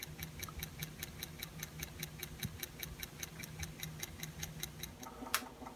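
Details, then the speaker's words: AR (Acoustic Research) turntable Hurst motor running alone with no pulley or belt: low hum with a crisp, even tick repeating about five times a second, so not caused by belt or belt tension. "So here's the motor just running by itself. There's no pulley, no belt. Hopefully you can hear that. It's definitely not quiet. Tick, tick, tick, tick,"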